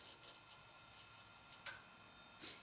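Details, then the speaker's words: DEC Digital PC 5000 Pentium II computer booting Windows 98 in a cold room: faint light ticking about four times a second with sharper clicks over a quiet hum; failing hard drive, cold suspected as a possible factor, to be replaced. "yeah that hard drive is no good it might not like how cold it is that may be the issue but i'm gonna replace it anyway"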